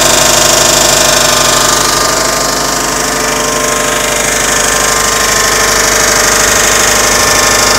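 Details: 2006 Subaru Legacy GT boxer engine at idle, recently started noise; fast even light ticking about three per second over engine hum, source unclear.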